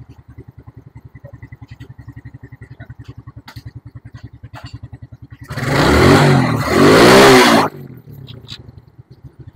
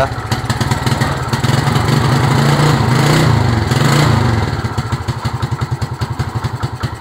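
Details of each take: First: Suzuki Smash after carburetor service fixing holed diaphragm and leaking fuel tap, air and idle screws adjusted: even, steady putter, one quick blip revving cleanly, then straight back to smooth idle. Normal idle. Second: Suzuki Smash motorcycle running rich from a flooding carburetor: uneven, lumpy idle that surges and sags with loose popping beats about three per second, won't hold idle and stalls easily; spark plug found wet.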